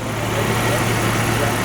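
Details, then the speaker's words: 1994 Jeep Wrangler after engine rebuild, with new belt and idler pulley at correct tension (old belt squealed, likely antifreeze-contaminated): steady, even idle, low smooth hum, faint injector ticking audible, no squeal or knock; healthy. "so I put a new belt on and the idler pulley and made sure we had the right tension in it and it's silent you can actually hear the injectors"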